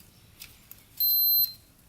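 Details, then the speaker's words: Custom pulling tractor with a swapped-in 500cc Honda motorcycle engine, long sat non-running: meter on the electric start button gives one short half-second beep, so the button only makes contact briefly; intermittent start button contact. "i don't think we're getting continuity between here when we hit the button just check here oh yeah i heard it for a brief second you can kind of hear it come on"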